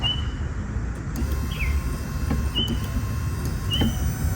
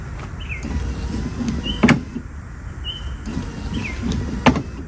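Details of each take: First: 1998 Ford Ranger wipers on high after a new motor install; the real fault was a bad relay, swapped for the horn relay: low motor drone under quick squeaky sweeps about every 1.25 s; wipers work normally. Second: 1998 Ford Ranger wiper motor running with a squeak and sharp clunk about every two and a half seconds, once per sweep; linkage clip had popped off, bent back into place and wipers then worked.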